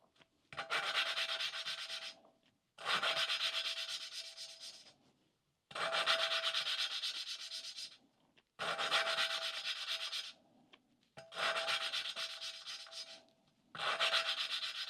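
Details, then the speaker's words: 1988 Suzuki GSX-R1100 valve lapping with oil on valve: even, hissing rubbing strokes with faint ring, grinding smoothing out as the valve seats. "you're going to hear the same sort of grinding sound and then it should smooth without"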